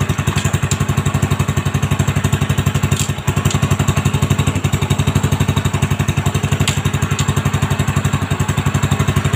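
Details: Honda Supra X 125 single just after fitting a new cylinder block set with a standard-size piston and reinstalling the exhaust and carburettor: quick, even idle pulse of about three beats a second, no rattle or knock; normal idle.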